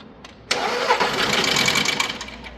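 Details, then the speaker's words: Petrol engine brought in as a no-start, cranked after engine rebuild with new timing belt, idler and tensioner: harsh uneven whirr, never fires; valves are bent and noise comes from the cylinder head, which will be removed. "daha bir daha arkadaşlar sibob eğmiş beraberinde de zaten itecek olduğu yerde yani silindir kapağında da ses geliyor"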